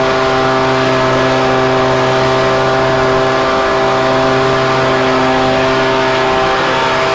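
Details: Husqvarna 125BV leaf blower after clearing a blocked fuel passage in the carb and fitting a new filter. A steady, even high buzz holds a constant pitch with no misses or surging: normal running.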